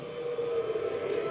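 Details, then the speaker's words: Belttt 1500 W 12 Vdc to 120 Vac inverter just switched on, fed by a 12.8 V battery: steady mid-pitched cooling fan whir, even tone, no rattle or scrape; fan running normally. "Entonces, si pueden escuchar el sonido del ventilador,"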